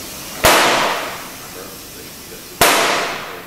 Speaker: When installing the bead, you'll hear 2 audible snaps on a brand new tire. Never exceed 40 pounds when setting the bead.